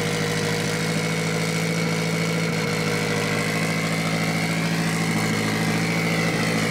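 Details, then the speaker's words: Mitsubishi Evo 8 4G63T with front-facing turbo kit, first start after owner's engine rebuild (pistons, crank, timing); high idle, throttle body adjusted; idle now holds steady with even pulse, no hunting, hiss or stumble: normal idle. "And we thought we had an air leak somewhere, but ended up just needing to adjust the throttle body. So we are good. It sounds pretty good."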